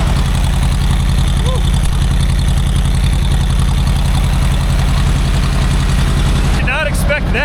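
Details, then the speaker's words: Old abandoned Asplundh JEX Chuck n Duck wood chipper, probably 1960s-70s, sold as non-running, first start, choke off, hand clutch disengaged, oil pressure showing: steady even low thrum, regular firing pulses, no knocks or misses; idles smoothly, healthy. "that. I mean, this thing purr like a kitten."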